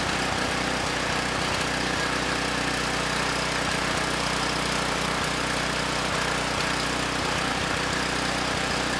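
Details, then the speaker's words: Campbell Hausfeld GN503100AC 5000 W generator, 9 hp Briggs Vanguard, started on choke: uneven stumbling run with irregular pops about twice a second over steady drone; engine sounds good but clone carburetor runs it way too rich. "well that was very interesting I guess first off the engine itself sounds good uh the carburetor not running the engine so well it's running the engine way too rich"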